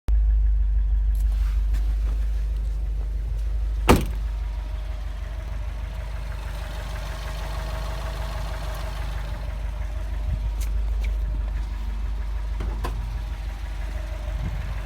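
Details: Subaru boxer engine at idle with a low, uneven knock about three times a second under the rumble. The owner wonders whether it is normal Subaru noise, rod knock or piston slap; cause unconfirmed.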